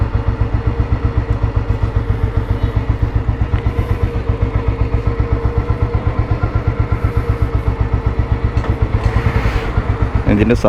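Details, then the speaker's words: 1987 Royal Enfield Bullet 350 fitted with a full-core silencer, idling: even single-cylinder thump about four beats a second, steady with no extra clatter; sound is fine, healthy slow idle. "കേൾക്കുന്നുണ്ടാവും കേട്ടോ കുഴപ്പമില്ലാത്ത sound ഉണ്ട് full core silencer ആണ് വെച്ചിക്കുന്നത്"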